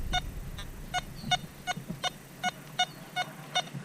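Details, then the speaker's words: Simplex+ vs XP Orx metal detector test: deep target tone from a US buckle buried 19.5–20 inches in coin deep mode; mid-pitched beep each swing but no VDI reading. "So it does hear the buckle. However, there's no VDI."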